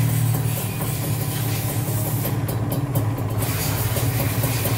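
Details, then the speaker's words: Kawasaki Ninja RR 150 two-stroke during routine service: crisp, even buzz holding a steady note with no knocks or rattles; engine healthy, no teardown needed. "ini mah motornya suaranya renyah banget ya guys ya Jadi udah Ped banget dah suara permesinannya aman ya guys ya"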